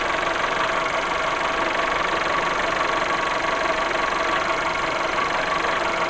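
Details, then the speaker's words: VW Golf VI 1.4 TSI (CAXA) brought in for a loud clattering; after a small part was replaced, the same ringing returns. Steady metallic ringing rattle at an even pace over the idle. "so beide wieder das gleiche klingeln ist wieder da"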